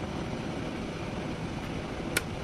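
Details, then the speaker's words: Kettle with 1.7 L water drawing about 2 kW from a Goal Zero Yeti 6000X power station: steady rolling rumble of water boiling, steam rising, then a sharp click as it switches off; normal boiling. "ось пішов пар зараз має виключитись"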